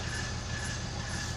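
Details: 1999 BMW 323i with automatic transmission shifting problems (fluid changed, not fixed): continuous rough low rumble with faint high scraping while wheels turn, grinding from the rear; cause unconfirmed.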